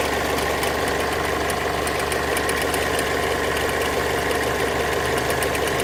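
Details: Mazda 6 MZR-CD 2.2 diesel at idle: light relay-like click about three times a second, more frequent with more electrical load (lamps, fog lamps) switched on; owner suspects alternator free-wheel/loose pulley, unconfirmed.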